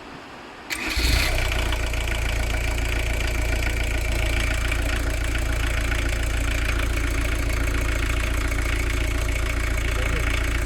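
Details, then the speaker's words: VW camper diesel after backing off the fueling screw to cut smoke: brief crank, quick catch, then steady even diesel clatter at idle with no misses; earlier lumpy running has settled, runs healthy. "I think she's sounding alright, yeah."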